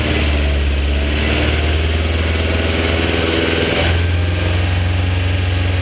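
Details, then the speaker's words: BMW E30 with M42 engine idling with a fast light ticking and a slight pitch step, after sitting. Suspected stuck hydraulic lifters, being bled by running the engine; it sounds slightly better once warm. "the consensus seems to be that it the noise may be coming from stuck hydraulic lifters"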